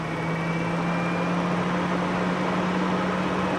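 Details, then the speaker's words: Fan-Tastic roof vent fan newly installed on an older vintage RV truck camper, tested off a deep cycle battery: smooth steady hum rising slightly as the fan reaches speed; fan runs normally. "It's blowing in or out? I think it's blowing out. Make it blow in. Oh wow, it feels amazing."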